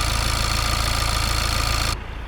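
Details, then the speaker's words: BMW diesel with piezoelectric injectors at cold idle: steady idle with fast, even, sewing-machine-like light ticking from the injectors and high-pressure pump, with no knocking or metallic noise; normal, not a sign of bad injectors. "मेरे मामले में, चूंकि ये piezoelectric injector हैं, इसलिए यह आवाज आती है। यह एक हाई प्रेशर पंप की आवाज है।"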